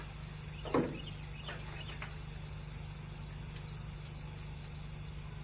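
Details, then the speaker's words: Rear left tire, puncture being reamed before plugging: steady, high, airy hiss of escaping air, leaking more after cleaning the hole; tire puncture air leak. "put some water on top of it and it's bubbling so that's our leak"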